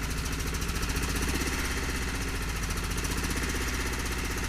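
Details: 4WD vehicle after new fuel pump and filters, running as if on 3 cylinders: uneven lumpy idle with irregular thump; compression later fine (190–205 psi), so cause still unknown.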